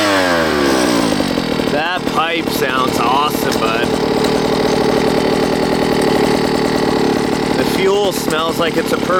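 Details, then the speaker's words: OBR 46cc two-stroke gas engine with silenced pipe in upgraded Losi 5T 1/5-scale truck, cold outside, low needle adjusted slightly richer: idles cleanly then blips up and down with crisp even revs, no misfire; normal running. "sounds like he's adjusting, almost sounded like the idle motor, and it goes with the low needle. And it sounds like he actually richened it up a little bit."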